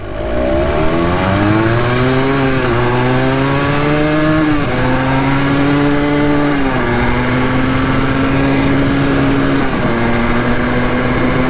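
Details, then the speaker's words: Honda ATC 250R two-stroke on a second top-speed run with the choke off, reaching 64 mph: high-rev scream that sags and stumbles several times before recovering, a top-end cutout. It is still running weird, cause unconfirmed. "64 I can't complain that's not too shabby considering it's kind of running weird and stuff so not too disappointed in that"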